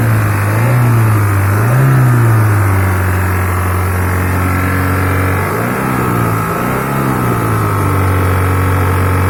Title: hyundai santro engine sound problem 👍🏻